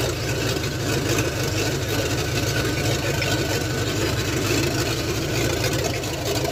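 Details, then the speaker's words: Ford F100 302 V8 with a Comp 268H cam on open headers during cam break-in: loud, even, lumpy idle with steady firing pulses and no knocks or ticks; normal idle. "Change it, and hopefully it's good, but it sounds fucking fantastic."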